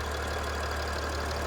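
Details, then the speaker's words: Mercedes Sprinter 3.0L diesel after repair of an oil leak at the bell housing (oil cooler previously replaced), leak now stopped; a steady, even diesel clatter with a smooth drone and no knocks. Normal diesel idle. "As you can hear, the engine is running. The engine sounds good, so we're good to go."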